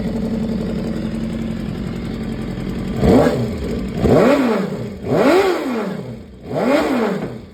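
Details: 2015 BMW S1000RR at 7.8K miles at steady idle, then four quick throttle blips about a second apart, with a faint light clatter on the engine; top-end ticking, cause unknown.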